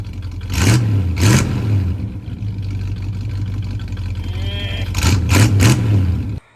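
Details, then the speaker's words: 1985 Chevy C20 truck, sat 10+ years, new mechanical fuel pump, run about 20 minutes: two pairs of quick throttle blips rise and fall cleanly back to a steady idle with no misses; truck running good. "The truck is running good."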